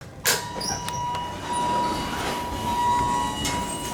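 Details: Large hydraulic elevator at Founders Hall, UTD, Richardson, TX, with an older Innovation modernization and a ThyssenKrupp-like directional lantern: a high electronic arrival chime sounds in repeated short bursts instead of one ding, stopping after several. Glitching chime; cause not confirmed.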